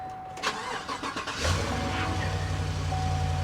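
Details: Low-mileage 4x4 at dealer auction: brief crank, catches at once and settles into a smooth, steady V8 idle with no misses or rattles, no dash warning lights; normal start and idle.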